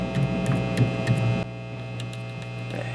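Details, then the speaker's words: Vintage Ampeg V4 (VT-22) tube amp after cap and power cord replacement, reverb now working: loud low steady hum that gets worse then better when tubes are tapped, suddenly dropping in level; intermittent hum, cause unknown, bias caps C15/C23 next suspected. "and interestingly enough when i tap these tubes the hum gets worse and then better"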